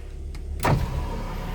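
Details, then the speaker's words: 2005 Toyota Vios manual, idling in neutral, upgraded front power windows: short smooth motor whirr as the front right glass moves, no grinding or strain; power window works normally. "Kita coba cek power window. Power window depan kanan normal."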